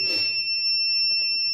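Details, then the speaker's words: Kent Grand RO water purifier just switched on, red light showing: clear, steady high-pitched electronic beep from the unit, the filter-change alarm, cleared by holding the black reset button below the red light until the beep stops. "यहां पे देखते red light भी दिख रही है beep भी कर रहा है"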